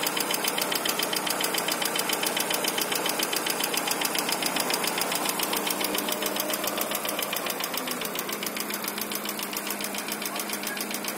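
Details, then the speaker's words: Daewoo Nexia petrol engine on cold start: steady sharp ticking knock at idle, only when cold, gone once warm; owner unsure, suspects hydraulic lifters; car also stalls while driving and restarts only after sitting hours. Cold-start engine knock at idle. "стук в общем работает так только на холодную когда прогревается уже более-менее нормально работает не стучит"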